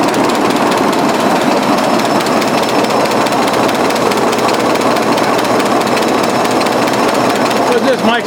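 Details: 1920s 45 hp General Electric genset, serviced after over 10 years unrun, just started at half choke with governor being adjusted: clatters along at a steady pace, no misses or stumbles; sound running engine.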